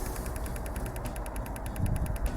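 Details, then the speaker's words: Common rail 2.0 diesel with P0088 (fuel pressure too high) code: pressure control valve pulsed from a generator at about 18 ms, 39% duty; crisp, evenly spaced light ticks about ten a second, valve working normally. "że słychać I w ten sposób jeżeli podłączymy sobie jakikolwiek generator to urządzenie które możemy sobie wysterować impuls-it to już wiemy że to coś działa"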